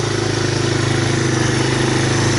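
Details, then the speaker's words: 1985 Honda ATC250ES Big Red, after cleaning the carburetor and a clogged jet, choke off and warming up: even single-cylinder thumping at steady idle with no stumbling or surging; normal idle, the previous stalling at idle fixed. "So choke is off, it's idling away. Gotta love that."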